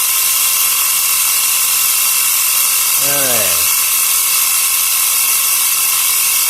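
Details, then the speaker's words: Portable 12 V cigarette-lighter piston tyre pump inflating a tyre, gauge reading about 2 bar; steady high-pitched buzz with fast regular pump beat, no knocking or stumbling — normal running. "เกดเริ่มตีขึ้นนะครับตรงนี้2บารนะครับ"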